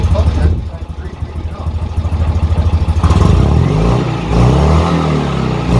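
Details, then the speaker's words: Citroën 2CV flat-twin running with the exhaust fallen off (tailpipe, silencer and swan neck missing): loud, raw, uneven popping turning harsh and blaring as it revs; engine running with no exhaust. "this is what a 2cv sounds like with no exhaust"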